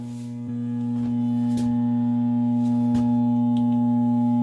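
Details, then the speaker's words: Furnace blower motor on fan-only setting: steady low electrical hum, trying but failing to start, no spin-up; culprit is a failed run capacitor. "But anyway, we got our heater here, and you can hear it's just a humming away, and it's trying to start. It is, but it just can't."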